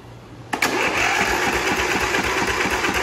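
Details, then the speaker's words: Briggs & Stratton Intek twin on a Craftsman tractor cranked with one spark plug removed: even starting, about three compression pulses a second, valve clatter gone, locating the valve guide issue to that cylinder. "That noise went away. Alright, so that means that it's on this side."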